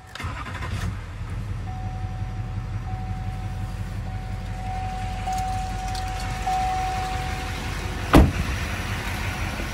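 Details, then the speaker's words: 2006 Chevrolet Silverado 2500HD with LBZ 6.6 Duramax diesel, 91,301 miles, fully serviced: starter turns briefly, engine catches cleanly and settles into a steady, even deep idle with no misses; normal start. "go ahead and fire this lbz up so we can hear it start"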